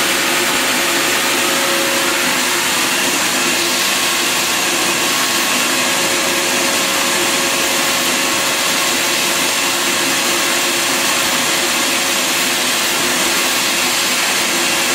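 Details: Bissell Garage Pro wet/dry vacuum and blower, vacuum side switched on with hose attachment: steady, even high-pitched motor roar with constant airy rush, strong suction, no wavering or rattles — normal running.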